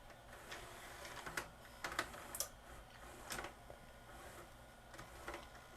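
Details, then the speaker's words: Magnavox ZV457MG9A VCR/DVD combo with the end sensors re-aimed at the prism: quiet light clicks and soft motor whirs as the cassette threads in, no scraping; normal tape loading. "now let's try to pop a tape into it and it takes it perfectly"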